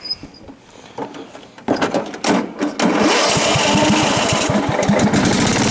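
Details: John Deere STX38 riding mower with Kohler Command engine, unused since last year: cranks a few times, catches, then harsh crackling bark far louder than normal because the muffler has come disconnected.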